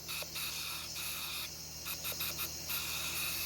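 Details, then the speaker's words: Superbird with 8K board and 35-volt capacitors on external battery; after one shot a steady high airy hiss, air leaking from the valve body with high-flow valve and new stem, possibly no valve seal. "And we've got a leak. Let me shoot it one time. This leak, I could tell, it's coming from the valve body."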